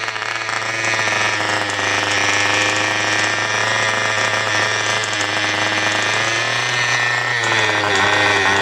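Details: Cox model diesel mini generator running: high-pitched, steady buzzing whine holding constant speed without faltering; running normally, though owner notes out-of-balance flywheel, slipping axle and clogged fuel hose to fix.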